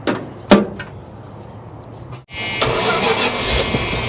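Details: 1973 Dodge camper pickup with a big block, not run since 1998: cranked on the JS2000 jump starter alone with no battery, the pack at 50% charge. The starter spins the engine at an even, healthy pace with strong, steady turnover, so cranking is normal.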